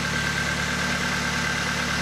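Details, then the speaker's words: Honda petrol engine, cold start after reassembly: steady smooth fast idle with no misses, revs dropping gradually as they should; before the repair it stumbled and revved erratically when cold. "Agora, ó, ele acelerou, normal, que nem tudo Honda. E agora ele vai baixando a rotação gradativamente. Como tem que ser."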